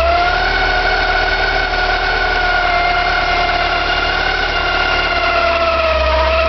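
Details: Porsche 944, 2.5 naturally aspirated 8-valve engine running: high wavering squeal with a rough grinding edge underneath, hard to locate but from the front; owner suspects oil pump or balance shaft, unconfirmed.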